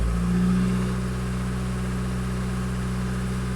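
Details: 2005 VW 2.0 TDI PD (BKD, no DPF), warm, with EGR and boost specified-vs-actual closely matched: picks up cleanly on a blip, then drops back to a smooth, even drone with no hunting or knock; revs healthily.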